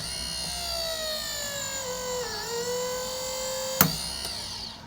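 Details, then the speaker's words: Grand Design Momentum RV after conversion from electric drum to disc brakes, second bleed pass, pump activated: whine winds up then gurgles briefly instead of deadheading immediately; air still in brake lines, needs another bleed. "So you hear that pump wind up, and instead of immediately winding up to max power, it's winding up and then it kind of hits max power and gurgles for a second. That means we still have some air in the lines."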